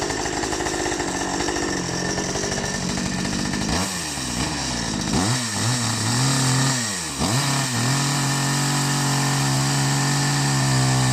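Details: Ferrex (Aldi) 45cc petrol two-stroke chainsaw, first start after priming, took several pulls to fire, oil filled with regular 4-stroke oil; raspy buzz dips and climbs through throttle blips, then holds a steady high idle, running normally.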